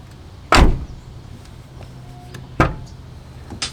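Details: Nissan 350Z door after replacing the broken exterior door handle: two sharp latch clunks a couple of seconds apart then a quick click; the latch now locks, unlocks and releases cleanly.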